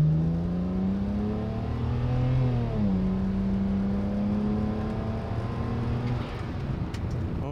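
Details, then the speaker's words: BMW E90 335i N54 twin-turbo, 75–80% throttle pull: strong note climbing steadily, smooth with no misfire, no drivetrain malfunction; healthy turbo boost. "never mind you know what i think it is pretty fast and that was like that was like 75 to 80 throttle there and it was kind of not not misfiring"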